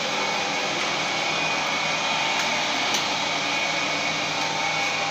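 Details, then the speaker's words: 15 kW motor as rotary phase converter, generating 407 V and driving lathe under 2.3 kW load: steady airy whir, faint high hum, no knocks or surges; lathe and converter running normally. "very nicely AND COMPLETELY WELL WORKING"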